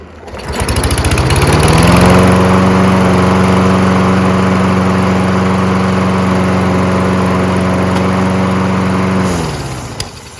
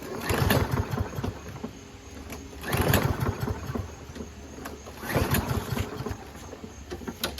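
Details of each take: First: Toro Recycler mower with Kohler XT675 engine that previously started then stalled after about 5 seconds; after carburetor clean and clearing the main jet it starts on the first pull and runs steadily with no surging before shutting off cleanly. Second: Toro Recycler with Kohler XT675 engine, six years old, oil likely never changed, fuel cleaner added; engine catches in short bursts about every 2.5 seconds then dies each time; starts but stalls, carburetor to be cleaned.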